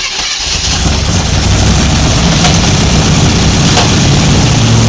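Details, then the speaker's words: 1955 Chevy 210 Delray 265 V8, first start in a long time after fuel spray: engine fires and holds a fast, steady high-rev run with no misfire, revving high because the accelerator was held open. "I I backed it off a little bit because it was revving real high. >> I had the accelerator."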